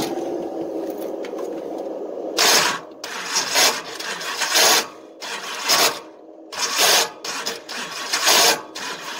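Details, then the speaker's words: Long-stored engine on race fuel, 60 psi oil pressure: harsh metallic grinding bursts about one a second as starter engages, no start; flex plate teeth stripped into inspection pan. "flex plate is done whatever was left of the teeth are now laying in the inspection pan"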